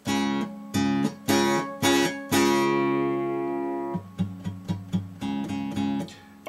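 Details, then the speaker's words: Breedlove Premier 12-string acoustic tuned to open C#, 1.5 steps below standard: strummed chords with a rattly buzz as the too-slack sixth string flops against its octave string; returning to standard tuning fixed it. "I have a suspicion that that tuning is just too Slack for this sixth string and it's really you know it's really flopping around and it's hitting the octave string that sound's coming right from here"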